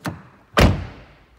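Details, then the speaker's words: Volkswagen Golf SE 1.6 TDI BlueMotion Technology diesel Cabriolet, door shut: a light tap then one solid, deep clunk that dies away cleanly without rattle; the door closes and latches correctly, a normal door closing clunk. "do it again just a nice clunk that's the sound of a good quality door a good quality door that closes correctly"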